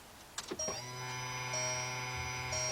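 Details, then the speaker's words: VW Beetle/Golf/Jetta 2.0 after fuel pump replacement, listened to near the pump with key on: a steady high electric whir lasts about two seconds then stops. This is a normal fuel pump prime. "I'm put the key in the arm position and you're going to go close to the pump to see if you can hear the pump activate for a few seconds"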